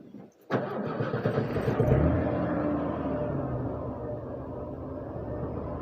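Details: 1980s Ford F-150 dual-fuel-pump truck after replacing the in-tank fuel boost pump, fuel pump cycled before cranking: quiet moment, sudden catch and quick start, then even steady idle; healthy start and run.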